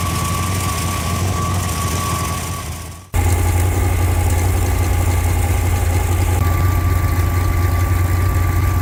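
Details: Freshly rebuilt Ford FE 390 V8 (Edelbrock, fuel-injected, mild cam) on an engine run stand, fully hot after heat soak, holding temperature with oil pressure about 55: deep, even burble with no knock or tick, a smooth, healthy idle.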